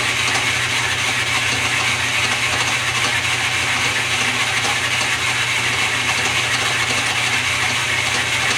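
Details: Restored lathe with quick-change gearbox, running in direct drive (back gears don't hold yet): steady, even mechanical whir with fine rapid gear chatter, no knocks or surging; normal running.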